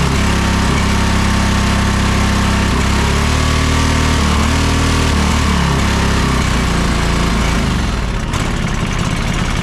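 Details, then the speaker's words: John Deere 425 riding mower, Kawasaki twin, after replacing the bad ignition coil: loud, steady full-throttle drone with no misses, both cylinders firing, RPM possibly set slightly high; normal running. "sounds like we might be going a little bit fast as far as the RPMs are set or something like that but everything else is working great"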